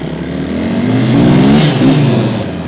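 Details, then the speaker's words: KTM-based Yeti snowbike, earlier clacking from the rear jack shaft, during a ride: engine pulls through rising and falling revs, smooth with no knocks or rattles from the drive; sounds fine. "Well, so far things sound pretty good. I don't think there's much of a problem."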